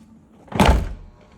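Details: 2015 Audi Q7 tailgate closing after latch repair: a single solid thunk with no clicking afterward; latch catches cleanly and the dashboard open indicator is now off.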